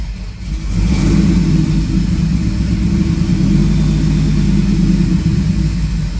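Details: 2002 Ford F-150 SVT Lightning, 5.4 L supercharged V8 rebuilt two years earlier, hard to start and stalling, held on part throttle: uneven, lumpy drone with an irregular beat; cylinder misfire, suspected blown head gasket.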